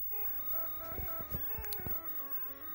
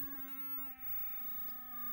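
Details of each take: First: Williams pinball board set up as Stargate, after replacing a faulty 6810 RAM chip with a known-good one, in test mode: a clean melodic tune with no static. The sound board now plays correct Stargate sounds. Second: it's just going through tones and that is not correct for Stargate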